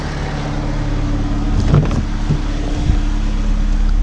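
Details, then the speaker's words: 2006 Chevy HHR, 125,000 miles, on a boosted battery and almost no gas: steady, even low hum holding one speed with no misses or knocks; normal idle, runs good. "as you can hear first like a kitten man can't fault it but yeah this is off a little bit i'll check that out but yep clean up the engine bay runs good"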